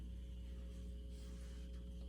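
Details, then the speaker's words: Harman Kardon 330B receiver (early-mid 1970s) just after capacitor replacement, phono mode at high volume: quiet steady low hum with faint buzz under hiss, slight motorboating on right channel; typical slight hum. "i hear a typical hum hey i heard it on the right side that time"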